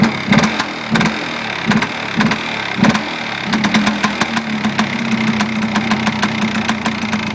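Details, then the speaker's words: Polaris Xplorer 400 two-stroke quad, just started after nearly 2 years sitting on old premix: uneven revving blips, then a ragged, stumbling idle that still won't hold; owner blames far too much oil in the fuel. "again too much oil way too much oil [Music] sounds like it's disturbing itself out of gas yeah it is I get off those ugly mirrors still doesn't want to idle but whatever not too big of a deal"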